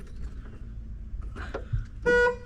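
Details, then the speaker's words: 1993 Ford F-150, 300 straight six, sitting 12 years with stuck engine: short, clear strong two-tone honk, no rasp; horn works, battery confirmed working; normal horn. "horn works okay it works so we know the battery is working"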